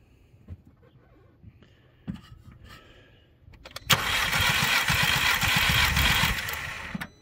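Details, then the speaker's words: 2010 VW Passat with flashing check-engine misfire, during compression test: about three seconds of brisk, even cranking with a regular beat and no firing, reaching about 150 psi before the battery died; normal cranking. "go ahead and crank just count to five like five cranks one two three four"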